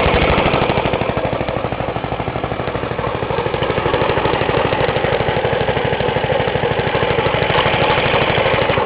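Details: Half-restored 1954 reel mower: repainted Briggs & Stratton 6S, 1.6hp, non-original shroud, pull start removed, homemade throttle valve; plus 1984 Montgomery Ward B&S 3.5hp TMO-37425A. Quick, even putt-putt at a steady fast idle, no misses or rattles; normal running.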